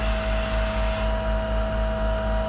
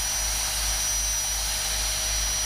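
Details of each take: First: Unloading a 30ft powder tanker (isoveyor) with the truck compressor, pressure building toward about 1.5 bar: steady hiss over the compressor's low drone as air leaks from a joint in the discharge pipe, showing as back pressure; not critical. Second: Unloading a 30ft powder tanker (isoveyor): steady rushing roar with a faint whine that thins out partway as compartment one empties and only air blows through the discharge line.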